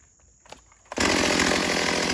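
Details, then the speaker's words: Stihl AV 028 Woodboss chainsaw after a fuel line and filter fix, making quick cuts in wood with no air filter fitted and possibly needing more tuning. It holds a clean, steady high-pitched scream under cut with no bogging; normal cutting. "I'll probably have to tune it a little bit more, but just to give you an idea of what we're working with. I'm not putting the old filter back on, so that's why they're gonna be quick cuts."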